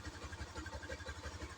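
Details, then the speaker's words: Yamaha New Jupiter MX with a Suzuki Shogun Kebo CDI fitted: a single cylinder at a quick, even idle of about eight pulses a second, slightly higher than before but steady, with throttle response described as lighter. "saat idle juga lebih tinggi, yang menunjukkan bahwa"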